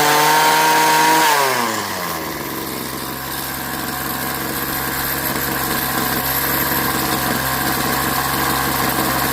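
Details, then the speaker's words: Craftsman 21cc Bushwacker two-stroke hedge trimmer, sitting nearly a year, blade disengaged: high buzzy rev drops to a steady even idle that holds without hunting; low and high speed fine, no cutoff at full. Normal two-stroke idle. "The low speed and high speed seem to be fine. I don't hear any cutoff, especially when I go full."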